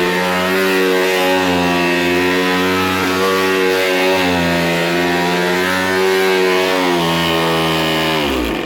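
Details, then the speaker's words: 2004 Oreck Hypo-Allergenic Plus XL2 upright vacuum, unused for a long time, motor also noisy: loud motor drone with harsh rapid jackhammer-like hammering, easing as it shuts down; the brush roll bearing has failed. "Brush roll bearing is gone. Wow. Okay."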